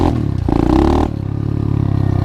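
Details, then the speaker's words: 125cc pit bike with newly installed, adjusted 26 mm Nibbi carburetor, first ride: single snaps up crisply on quick throttle blip and settles to steady idle; no more bogging or dying. "Oh man, it runs so much better. I'm not having to worry about it bogging out and dying on me now."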